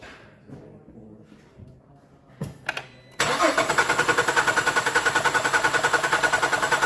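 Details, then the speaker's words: 2008 Cadillac STS with incorrect timing, all coil packs unplugged to disable ignition for a cylinder pressure cranking test: starter cranks at a steady beat of about three and a half pulses a second without catching. "so this we have here is a 2008 cat STS and the timing is off"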